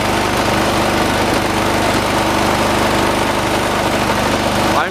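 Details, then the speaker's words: 1986 John Deere 216 lawn tractor, 16 hp single-cylinder Kohler, idling during carburetor adjustment: fast even thumping with rattly shake over it; shaking considered normal for these engines; idle during adjustment. "let me go on ahead we'll start up the engine these 16 horse colors do shake a lot that's why it's normal"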